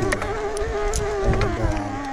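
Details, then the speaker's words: 2022 Specialized Turbo Levo S-Works e-MTB ridden on trail, pedalling under motor assist: steady mid-pitched whine/grinding under riding; buzz from Industry Nine hubs and clicks from GoPro buckle. Mid-drive motor whine, shop found motor faulty, likely needing a new motor. "the b sound is just my industry nine hubs but listen to the motor when i pedal you see my knees start to move horrible"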